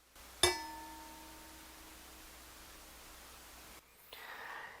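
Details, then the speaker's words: Budget Angels Horn belt-drive turntable, under $200: a single tap on the platter sets off a clear metallic ring lasting about three seconds, even with the felt slip mat; damping underneath or a rubber mat suggested. "and that might be a thing where I mean there may be some room underneath here to put some sort of that Beal dampening stuff on the bottom of this to help deaden this platter as an upgrade"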